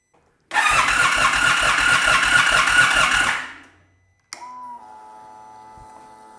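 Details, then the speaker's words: 2022 Indian Super Chief ABS no-start, after reconnecting the crankshaft position sensor plug: about three seconds of steady, even starter cranking, then quiet fuel pump whine priming as engine revolution is detected; normal cranking before it starts. "There's the fuel prime, which means that it is detecting the revolution of the engine, which means that if I do this, it's probably gonna start."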